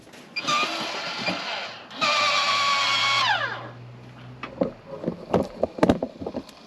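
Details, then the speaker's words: MaxxAir RV ceiling fan motor after replacing bearings with 608Z, bench-tested without blade: clean steady whine spinning up and winding down, no chirp; normal running. "Oh yeah, and it doesn't chirp anymore."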